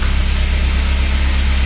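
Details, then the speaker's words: MK1 Audi TT just after head gasket job, run briefly without coolant: steady, even low idle with smooth regular pulse, no knocks or ticks; running healthy, no leaks. "it lives it lives Bros it is running and it is good we are good there's no leaks"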